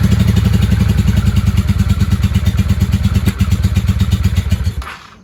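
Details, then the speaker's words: 1995 Honda Shadow VLX 600 (VT600CD) V-twin, long parked and just dug out, runs loud and lumpy with a loping beat only on throttle, then dies; won't hold idle without gas; owner suspects too much air, cause unconfirmed. "she doesn't want to run without giving her gas very very strange"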